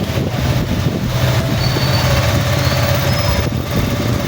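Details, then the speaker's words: Honda Click 125 scooter, started cold after cam chain tensioner overhaul for a tinny rattling engine: smooth steady idle with even low hum, tinny rattle gone, engine now quiet. "mga kuys, wala na yung tunog lata. Okay na mga kuys. So, tahimik na ang makina."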